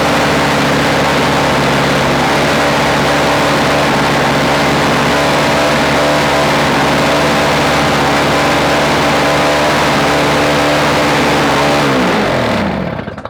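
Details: Toro 17-inch two-stroke snow thrower after an engine swap from an old Snapper, electric-started: steady even buzz at one speed with no misses or knocks, then winds down smoothly at shutoff; healthy running.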